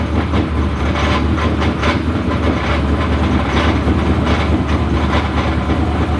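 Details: Methanol twin-turbo Corvette of about 2000 hp, started cold with help: loud, lumpy idle with an uneven driveline rattle from the torque tube that clears above 2,000 rpm; fuel and oil pressure are good and there is no smoke.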